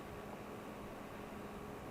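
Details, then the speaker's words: Coolmoon Crystal Diamond 12cm ARGB budget PC case fans at highest speed, lifted off the desk to avoid vibration: only a soft even rush of air, no ticking, buzzing or bearing noise; fans run quietly and healthy. "they're actually pretty silent all you can really hear is the uh the movement of air there"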